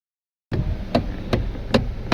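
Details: Kia Cerato electric power steering: sharp single knocks roughly every 0.4 seconds over a quiet background, a clunk from the steering motor, heard before the motor was opened and repaired, after which it was silent.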